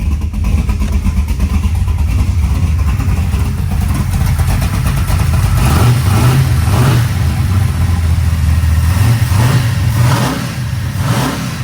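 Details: 1972 Chevy Nova big block V8 with Merlin heads and Rowdy camshaft, just started with 60 psi oil pressure: deep lumpy idle picking up cleanly with throttle blips and dropping back smoothly; healthy, normal.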